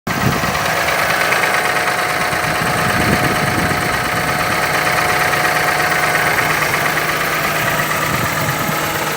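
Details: Mercedes M272 engine idling with an uneven deep knock about three per second; said to come from a stretched timing chain or cylinder scoring, scoring if the engine uses oil; cause not confirmed.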